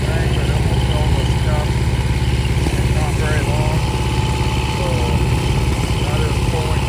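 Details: Restored long-stored 6.5 kW gas Kohler marine genset from a houseboat, bench run with bucket water pickup at about 30°F; steady smooth low thrum, no knocks or misses, idling cleanly.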